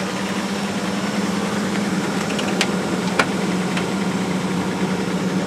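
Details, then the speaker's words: 1995 Ford Explorer Limited after new spark plugs, plug wires and a cleaned coil pack ground plate: smooth, even idle with a steady low drone, the earlier knocking and clicking gone; engine sounds healthy. "And then after doing that, it made this thing run a lot better. It doesn't make that knocking noise, or that clicking noise."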